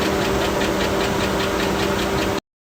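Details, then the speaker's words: GMC Yukon XL with 5.3L V8, just over 150 on the odometer, no warning lights, being driven 6 miles home: a steady, rapid, heavy knock hammers evenly over the engine note at speed, typical rod knock. "Alright. I don't know where to put this, but oh, this thing's knocking bad. This thing is knocking so bad. Oh, it's knocking real bad."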